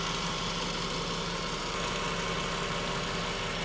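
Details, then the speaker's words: Ford FG Falcon daily driver after suspension, brakes, full service and diff oil: even, steady idle with a smooth low hum and no stumble or miss; sounds much smoother than before, healthy. "That is the work we did. We on. And it sounds, as you can imagine, so much smoother."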